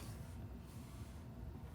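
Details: 2008 Chevy HHR in park with the key in, after fitting a 3D-printed shifter button: quiet cabin, then a single short click as the brake shift interlock releases when the brake is pressed; working normally.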